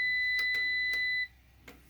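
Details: APC BN450M 450VA UPS powering a tower heater near its 255-watt limit: steady high electronic beep held over a second then cutting out, the battery backup alarming as its battery runs flat under heavy load.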